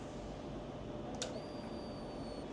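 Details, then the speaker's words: Triumph Daytona 955i: after a quiet moment, a thin high fuel pump buzz runs for about a second and cuts off cleanly, priming normally after a blown fuse and the relay were replaced. "That is the sound of a fuel system priming."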